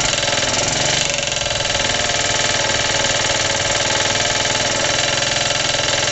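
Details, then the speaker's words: Suffolk small single-cylinder engine, first start after rebuild, cold and choked, rope-started with the starter bolt missing, idle turned up: loud knock in time with the engine, about four per second, over a harsh rattle. New since the rebuild, compression good, clutch or shrouding suspected. "it runs rest assur it never used to make that knocky noise so I don't know what the hell's going on it's definitely fully tight never used to make that noise"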